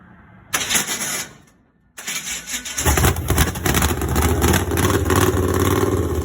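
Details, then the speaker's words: Borrowed small-block Chevy V8 in a drag truck after a ditch crash: it cranks, catches and settles into a loud, lumpy, uneven run with a rough pulse; something is wrong inside the motor, cause not yet found. "i think it sounds like there's something wrong with the motor so let's see if we can't get that figured out nice and easily first"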